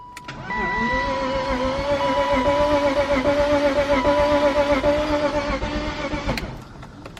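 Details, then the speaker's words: 1998 BMW E36 328is M52 engine cranking: starter whirs fast and smooth with no labouring cylinder beats and no firing, just air pushed in and out; engine has no compression. "so that sounds like an engine with no compression if you ever heard it um basically all you hear is the cylinders basically just pushing the air in and out"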